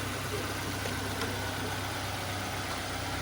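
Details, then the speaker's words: Nissan Exalta after replacing a grounded ignition coil: steady even low hum, no misses or knocks, idles smoothly. "Yun mga boss ah umaandar na yung Nissan Exalta natin."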